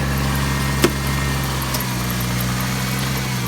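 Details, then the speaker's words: 2003 Chevy Trailblazer after sitting almost 2 years, new battery installed, AC compressor off; steady, even low idle hum with no knocks, misses or surging, starts every time: normal idle. "she starts and runs look at that like i said it starts every time"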